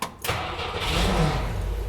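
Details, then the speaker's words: Jeep Kaiser CJ5 F134 engine after piston ring rebuild, cold but hot weather, no choke, in neutral: brief cranking, then catches cleanly into a steady, even low rumble; oil pressure around 50 psi on 10W40. "There we go. It's running. It's cold right now. There we go. Running real good."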